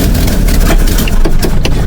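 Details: 1951 Henry J survivor being cranked: loud, lumpy low rumble with uneven chugs as the engine turns over and stumbles without catching cleanly; hard starting, cause not identified.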